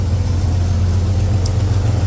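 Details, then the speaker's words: Jeep Grand Cherokee 4.0 bought cheap, at idle: deep, even idle with a rough puffing rasp from a loose exhaust mounted up high; engine otherwise seems healthy; exhaust leak. "now like I said guys you do hear that exhaust leak um or at least I hope you can it doesn't sound very nice it sounds like I've got the exhaust loose since it is so up High"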